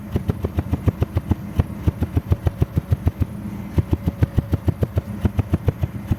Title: Cómo se escucha un misfire en tu motor???